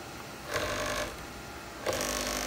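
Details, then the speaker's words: JMC iHSV57 100 W servo temporarily mounted on about 15-year-old Taig lead-screw CNC mill, moves at 150 IPM: buzzing humming vibration during moves, stopping when axis halts; owner confident the makeshift coupler causes it. "so again this vibration is coming from the coupler I'm pretty confident on that"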